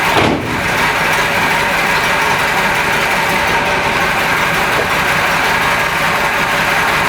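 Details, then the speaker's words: Renault Trafic with swapped C1J engine, cold start after three days sitting, not warmed: catches at once, choke removed immediately, settles to a steady, even idle with no misses or knocks; normal cold start and idle. "le moteur je ne l'ai pas fait démarrer juste avant je n'ai pas fait chauffer rien du tout ça fait maintenant trois jours que j'ai pas retouché depuis la séquence de la dernière vidéo comme tu vas plus entendre il y a démarré tout de suite au car et tout de suite j'ai retiré le starter"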